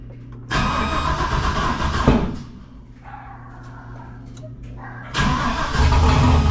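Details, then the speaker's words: Junkyard 6.0 V8 freshly swapped in to replace a burned-up 5.3, first start on the tune made for the 5.3: catches, runs lumpy and uneven, dies, refires rough; smells super rich of fuel, tune way wrong, needs retuning. "okay it's real smells Super Rich it needs to be tuned I can smell fuel like a son of a gun"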